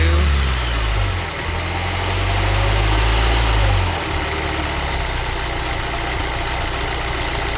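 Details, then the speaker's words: 2019 Volvo XC40, 2.0L L4 B4204T18, failed PCV oil trap (codes P0171, P0507): steady high idle sags to a lower, deeper note when oil cap is removed, idling down as it should; vacuum leak from bad oil trap. "Now for a little experiment. When you take the oil cap off, it should idle down to where it's supposed to."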